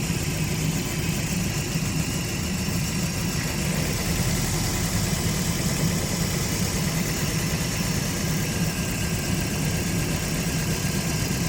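Car engine idling with an uneven, stumbling low rumble, consistent with a misfire.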